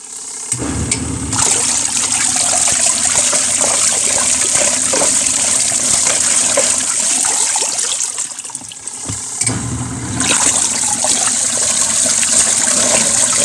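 Sloshing water churned by the motor in steady back-and-forth surges, with a short pause midway; ordinary, healthy wash agitation.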